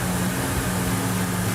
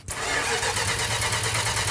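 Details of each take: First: 1968 Dodge Charger R/T after restoration fire-up: steady, even low V8 burble at idle with no misses or ticks, 60 psi oil pressure at idle; kicked off hard and ran good, a healthy idle. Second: 1968 Dodge Charger R/T: steady starter cranking, about three compression beats a second, for four seconds without catching; cranks but won't fire. Crew considers more ignition advance, and fuel pump is then confirmed pumping.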